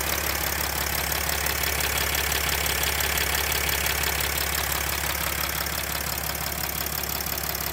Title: OM642 R320 CDI 3.0 V6 diesel engine ticking knocking noise?